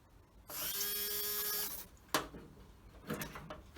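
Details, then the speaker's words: Land Rover Series 2A screen wash pump, not working before repair, bench-tested off the vehicle for pumping; high buzzy motor whirr about a second at even pitch, cuts off cleanly, water pumped, normal running. "next test will be to see if it pumps right let's see if this pumps yep we've got water"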